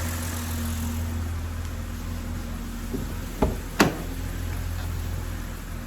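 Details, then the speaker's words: BMW E90 at idle after retightening loose bearing cap bolts on the valvetrain, which caused P0300, low compression and no-start, plus new spark plugs and coolant refill: low even hum, no misfire stumble, no check light; idles smoothly. "so that's it guys as you guys can hear e90 is running smoothly again no issues no check light or nothing like that is in the back"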